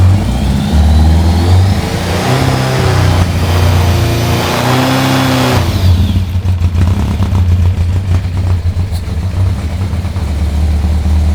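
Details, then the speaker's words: Yamaha FZR 1000 (2LA), not run for 3 months, finally catches and runs, rising on throttle blips and settling back to a steady idle; running normally again, coolant bubbling and needing a top-up. "Oh my god! We have the Yamaha FZR running! The first time in 3 months! Fuck yeah! Yeah! Woo! It runs!"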